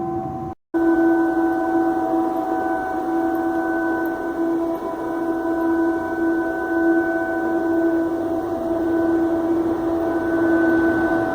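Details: Loud, unbroken howling roar at a steady pitch from an industrial boiler on Avenida Marabá in Patos de Minas, venting steam through a valve opened too far; no damage or injuries, and the fault has since been corrected.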